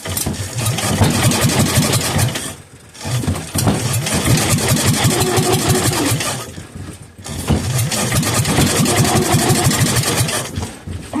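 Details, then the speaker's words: Kohler K241 engine that sat for years: long cranking bursts with a groaning starter and ragged firing. It catches briefly but won't keep running. "she tried let's try [Music] again she's trying ooh that starter is groaning well clearly we know that she'll run"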